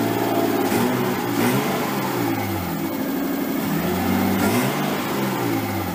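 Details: Nissan 240SX S13 with swapped RB20DET, first start after over a year sitting, once power was fed to the wire by the ECU and the crank angle sensor reinstalled: smooth, even running well above normal idle, with a few throttle blips. Idle is way too high and AFR unset; it might be burning a little oil.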